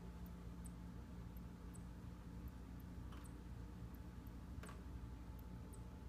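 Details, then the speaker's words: Wall air conditioner running: faint, sharp ticks every second or so over a steady fan hum, like a bird inside; intermittent ticking, cause not yet found. "seems almost as if there's a little birdie in there sure now it's going on so you hear the loud sound"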